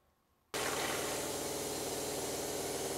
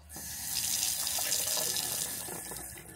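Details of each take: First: Shurflo RV water pump in a truck camper, relocated but still loud, at kitchen-sink full flow before quieting mods: loud buzzing drone with rushing water for about seven seconds, then stops. Measured 77.1 dB. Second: RV truck-camper Shurflo water pump with an IRVWPC2 intelligent pump controller installed: steady, smooth tap flow with no pulsing, banging or pump hum; noise cut from about 77 dB to 54 dB after the fix.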